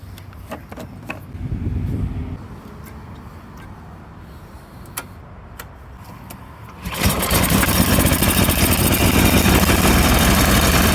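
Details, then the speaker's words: Used small-engine machine with rotten fuel lines, first start attempt after purchase: a few cranking pulls, then runs loud with slightly uneven beat; rough running, suspected to need tune-up and new gas lines. "So it sounds like it just needs a tune-up and new gas lines."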